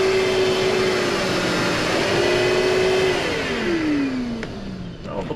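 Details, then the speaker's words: Kenmore Progressive 21614 canister vacuum after repair: mid-pitched power nozzle motor whine wavers and sags unevenly, then winds down; power head motor sounds rough, though suction works. "Oh, the power head motor doesn't sound great. This motor, wow, just sounds bad."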